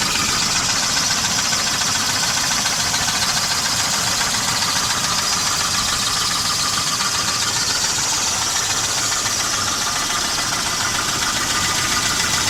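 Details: 1988 Volvo 240 GL at idle: sharp, fairly regular light knock about three to four per second over the engine, most likely piston slap (unconfirmed); engine otherwise runs fine.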